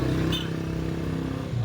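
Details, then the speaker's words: Honda XR150 just started after an overhaul for engine noise: bearing replaced and aligned, piston kit replaced after heavy scoring from the connecting rod. Even, steady low putter with no knock or rattle; runs clean. "Okay. Yan, umandar na. Tapos na ito, ginawa na ito."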